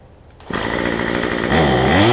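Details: Cheap two-stroke weedeater number 2 on a new $6 replacement carb, just primed and started, air filter off: catches and burbles unevenly, then revs with a wavering note; carb way out of adjustment, running rich and smoking.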